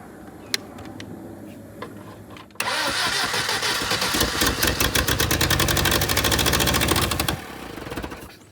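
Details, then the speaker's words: Willys CJ2A Jeep, first-start attempts: after cranking it catches with rapid uneven firing, revs a few seconds, then fades and stalls; owners unsure whether ignition timing is adjusted the wrong way or the engine is flooded. "maybe we're going the wrong way with the timing. I don't think so. But maybe we flooded it too now."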